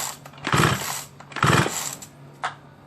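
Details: Small chainsaw, long unused, plug cap missing: two short pull-cord rasps about a second apart and a faint tick, never fires; no start from carburettor intake air leak.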